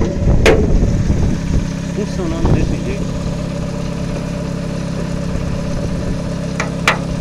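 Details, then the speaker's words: VW Gol quadrado CHT gasoline engine, still cold, after fine idle adjustment of air/fuel mixture and idle screw: even, steady low idle rumble with no stumbling, hunting or shaking, some wind noise; normal stable idle. "jeito olha essa marcha lenda galera Ó olha essa marcha motor parado cara olha não treme nada né muito estabilizado cara"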